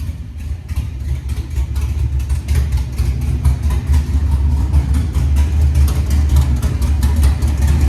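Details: 1987 Monte Carlo SS with LS 6.0 swap, CNC heads, 42 lb injectors, base tune, new headers, first start: deep steady V8 rumble, clean revs rising and settling, no knocks or ticks; healthy.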